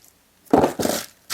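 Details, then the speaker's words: Husqvarna tractor with Kohler engine, mower deck: three short bursts of gritty scraping as deck pulley is spun by hand, worn pulley bearing with play; pulley and belt to be replaced. "And the problem is this pulley right here on it, that pulley right there, we're going to be changing that out. That's this pulley right here, because when I spin this pulley, it sounds like that. So not only that, it also has some play."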